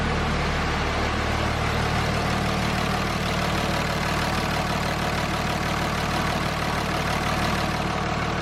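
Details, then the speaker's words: 2004.5 Cummins diesel pickup after installing Flux 130 HP injectors with 10mm and S400 setup: steady, even diesel clatter at idle with no misses or odd knocks; running healthy. "Good. Sounds healthy."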